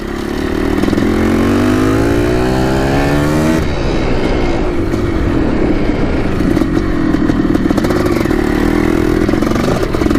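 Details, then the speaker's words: 1987 Yamaha YZ490 two-stroke after carb cleaning and new fuel, riding: crisp ring-ding climbing cleanly through the revs, then a steady crackling pull with no stumbling, burning much better; normal two-stroke running. "looks pretty good burning a lot better now that we've got the new fuel"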